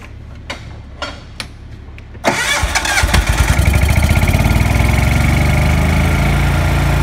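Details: Lincoln Ranger 250 gas engine-driven welder after replacing all fuel lines (tank to pump, pump to carburetor, crankcase line) for a no-start: a few clicks, then fires, pops briefly and settles into steady even beat; normal start and idle.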